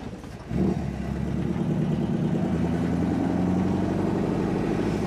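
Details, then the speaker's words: 1963 Chevrolet Impala SS: revs fine in park/neutral but in gear picks up then hangs at low uneven drone, bogs and won't rev; owner ruling out fuel, fuel pump okay. "only run in gear doesn't want to grab up"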